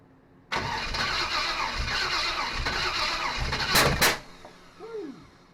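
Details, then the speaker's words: SBC 350 in '55 Willys wagon, first start after removal from '46 Chevy, new fuel pump and temporary tank: cranks about 3.5 seconds, never catches; fuel not reaching carburetor bowl, owner suspects timing way off. "That fuel pump is still not filling this bowl. I don't know what the issue is. There's something I'm doing wrong here, but uh doesn't seem to want to pump it all the way up."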